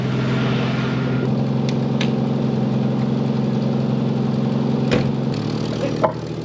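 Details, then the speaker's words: 1984 AMC Eagle at idle: loud, raspy, fast puffing idle with raised engine speed; bad exhaust leak and unexplained high idle, car split in half but still runs. "So as you can hear, it has a pretty bad exhaust leak, and the idle's like really high for some reason, but it still runs."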